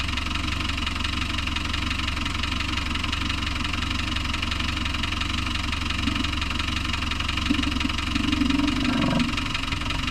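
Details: Land Rover Discovery 1 300Tdi diesel idling with a steady, fairly regular knock running through the clatter; cause unknown.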